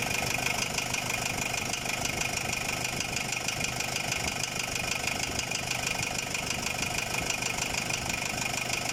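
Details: Ford Ranger WL diesel, cylinder head replaced with a Chinese head after overheating: sharp, even knock about three times a second over a steady idle; engine knocking at idle, cause still being sought.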